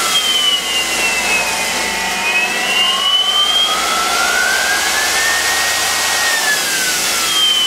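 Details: IMC Magnetics 400Hz vaneaxial aircraft fan run from a drill-driven generator; loud even rushing whir with high whine drifting slightly in pitch; spinning fast and smooth, healthy.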